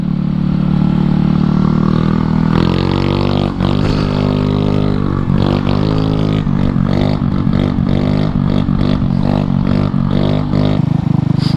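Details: Honda Elite two-stroke stunt scooter build, being ridden: buzz rising with throttle, then choppy on-off blips as the rider modulates; exhaust sounds crisp with no leaks or rattles, healthy.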